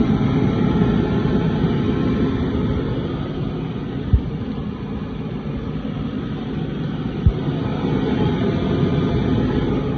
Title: Cold vs diesel engines = no start